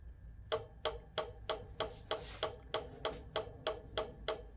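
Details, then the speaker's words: Code 3 emergency light bar bought at auction, rotator unit reconnected; its linkage arm is glued. Sharp, even clicks about three a second, steady and unchanging over a quiet background; rhythmic clicking of unknown cause. "Let me hook this back up again. The one that was clicking. Let's see what's up."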